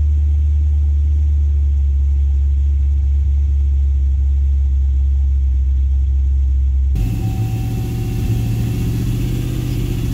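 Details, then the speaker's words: Cadillac CTS-V (gen 1, big cam) found abandoned, idling after a first start with a short throttle blip: deep, even rumble, no ticking from the top end, good oil pressure, no unhappy lifters; settles back to idling fine. Normal idle. "like the motor's got good oil pressure i don't hear any unhappy lifters or anything all right a little bit of gas we're off the gas now seems to be idling just fine"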